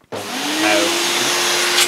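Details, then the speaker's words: Hoover SC364 Vogue 1300 vacuum cleaner, old unrestored unit with worn bag and filters: motor spins up to a steady high whine, pitch climbing slightly as the hose end is blocked and the bag-check indicator lights; runs evenly, no faults. "so as you saw the bag check indicator was Illuminating when I was blocking the end of the hose"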